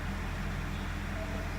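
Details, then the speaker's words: Mitsubishi Pajero, first start after repairing an intake manifold air leak caused by excess RTV on the gasket and a broken bolt. Before repair it shook at idle, worst in D with rpm fluctuating. Now a low, even, steady idle with no shake. Normal idle. "هلا اول تشغيلة بعد ما تصلحت وركبنا المانيفولد، راح نشوف اذا السيارة راح ترجع ترجف ولا لا. لحد الان السيارة صافية،"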